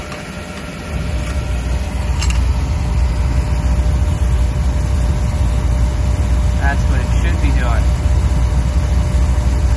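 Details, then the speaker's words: Beckett oil burner on a furnace after replacing the primary control, whose clicking had made the flame cut in and out: steady low roar, firing without interruption and no clicking; normal burner operation. "is not going in and out in and out so we're done"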